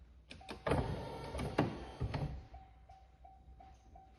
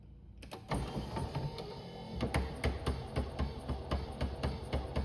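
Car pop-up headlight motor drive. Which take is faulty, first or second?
second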